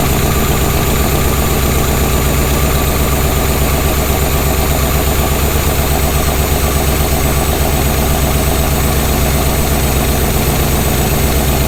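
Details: Jeep Scrambler at rough idle with light uneven tapping about four per second; failed lifter, likely flattened cam lobe and bent pushrod found on teardown; onlooker guessed valve spring.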